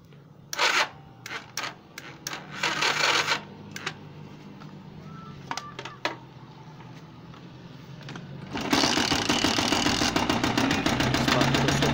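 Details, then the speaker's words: Motorcycle engine run on the bench starts with a loud, fast, heavy knocking from inside; cause unknown until the engine is disassembled. "صوت خبط جامد جدا في الموتور زي ما حضراتكم كده سامعين."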